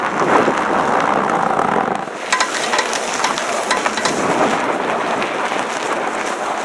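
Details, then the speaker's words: 2012 Honda Odyssey turning under power: rapid, crunchy, fairly extreme clicking over wind and slush noise; classic sound of a failed CV shaft, which was replaced. "most of you at this point already know what's wrong with the van that's a pretty classic sound of a failed CV shaft so for those of you who don't that's what they sound like"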